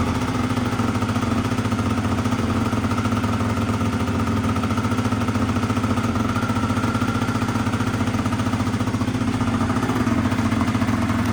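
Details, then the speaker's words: Honda Dio 100cc two-stroke scooter project, first start; steady fast, even buzz with no drop-off, owner notes revs too high: high idle speed. "[оплески] [музика] за великі обороти ть"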